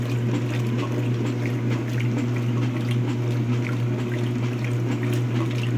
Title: Speed queen strange sound. Bad transmission?